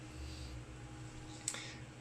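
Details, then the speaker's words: Quasar VR-1000 VCR after replacing the stretched take-up reel belt and servicing motor bearings and pulleys, rewinding a 120-minute tape, worst case: quiet steady low hum and whir, no squeal, slipping or speed wobble; normal rewind. "and right now it's rewinding a 120 minute tape this would be the worst case scenario all right so that's working away"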